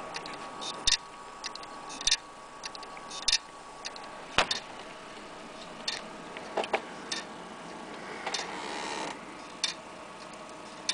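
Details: Laptop hard drive that is not recognized or read. Sharp, irregular head clicks about once a second: the failing drive's click of death.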